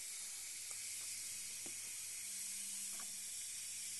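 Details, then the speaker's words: Zenith 25MC36 TV after the high-voltage rectifier tube was replaced with a solid-state rectifier. Steady high frizzing hiss with faint crackles, glowing blue corona. High voltage is too high or regulation isn't working. "It's all glowing blue. It appears the high voltage is much higher with the solid state rectifier, or the high voltage regulation's not working."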